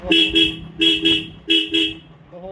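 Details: Royal Enfield Standard 350 that cut out while riding, after a fuse problem was found and fixed: three pairs of loud, clean horn blasts at steady pitch, engine faint underneath; horn and electrics working normally again.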